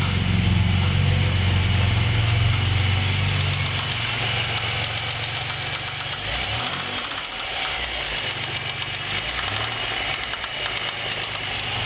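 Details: Pontiac Grand Prix petrol engine idling with a steady, deep knock about four times a second, from a spun rod bearing.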